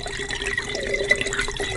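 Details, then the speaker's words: New Swiftech Apogee pump replacing an Apogee II, running full-on in a test loop with reservoir, air bubbles purged, microphone maxed: steady faint hum under trickling water, no rattle or gurgling; normal operation. "I want you to listen to the pump this is full-on and my microphone is maxed out so this is what as this pump is gonna get"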